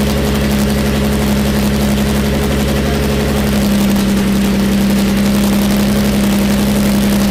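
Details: Jaguar E-Type 2+2 six-cylinder under restoration, running with no exhaust fitted: loud, raw open-pipe idle, steady and even with no stumbles; all six cylinders firing cleanly.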